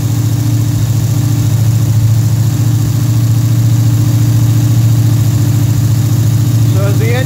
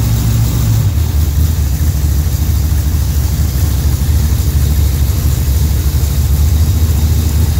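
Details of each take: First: Pontiac engine with a Rochester Quadrajet carburetor, cold, on the fast-idle cam at around 1,400 rpm: a steady, even fast idle with a smooth deep throb and no misses. Idle speed drops as the engine warms and the choke opens. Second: Pontiac with a Rochester Quadrajet carburetor, idling cold during choke pull-off adjustment: deep, lumpy idle with an uneven, loping beat that smooths when the choke blade is pushed open. Rough cold idle from choke pull-off set too tight.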